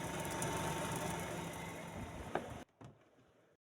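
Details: Super Asia spin dryer after repair and refitting: spinner runs with smooth, even hum, no scraping or knocking, then switches off and coasts quiet. Normal spin.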